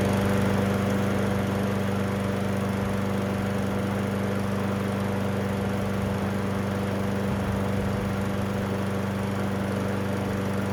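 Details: Garbage-picked Toro Recycler 20377 self-propelled front-wheel-drive mower after carburetor cleaning, air filter reinstalled and oil topped off; even, steady hum at constant speed with no misses or knocks, gas low; runs smoothly.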